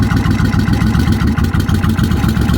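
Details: Motorcycle with suspected bad aftermarket starter solenoid (Kawasaki Vulcan type), finally started after repeated cranking with choke gently turned; deep, lumpy, fairly even low idle with steady firing pulses, no knocks or misses. Normal idle.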